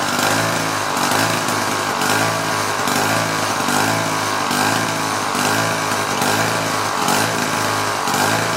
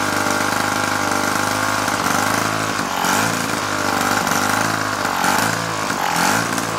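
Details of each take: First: Two-stroke propeller engine on a 1950s kid's go-kart, long-sat, wheels off ground: high buzzy drone swelling and fading about once a second instead of steady; may be a hair on the lean side. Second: 1950s child's go-kart small engine, revived after sitting for years, on choke with fuel spilling: the single buzzes at a fast idle, a little uneven but keeps running without dying.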